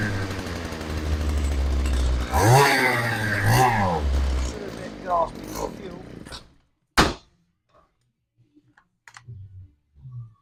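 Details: STIHL hedge trimmer with a running issue, on fresh fuel and primed before carburetor needle adjustment: buzzy two-stroke fires and runs a few uneven seconds, wavering and stumbling, then quits; rough running, cause not confirmed.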